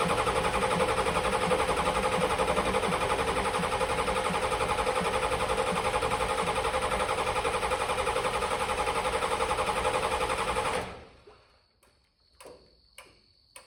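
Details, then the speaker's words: 1986 Ford F-150 XLT with a 7.3L IDI diesel swapped from a box truck, fuel pressure confirmed and glow plugs held: ten seconds of even starter churn at about four beats a second with no firing. Injection-pump solenoid voltage dropped from 12 to 8.5 V on cranking because of a shared power wire and weak batteries. "when I turned the key on I got 12 volts but when I cranked it it went down to 8 and 1/2 at the actual injection pump so I wasn't getting enough power to the solenoid to keep it open during cranking"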